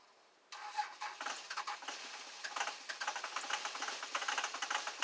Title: 2001 dodge cummins cold start 25°F no start in 2 weeks no plug in